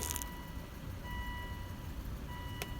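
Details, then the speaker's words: 2005 Volvo V70 after spark plug/ignition coil replacement for a misfire code, codes erased: low even smooth idle with no stumble or skip; permanence of repair still uncertain. "very nice and smooth running and we will see if this was a permanent repair"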